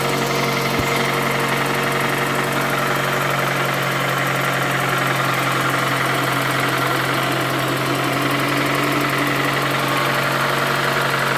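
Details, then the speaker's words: Toyota Camry 2AZ petrol engine, 220,657 km, heavy smoke from under the valve cover, idling with the camera on a stand nearby: steady hum with a faint, irregular knock beneath; a lower-end knock is suspected. "чтобы вы смогли звук слышать работающего мотора и как он орёт он просто рвет это просто ужас"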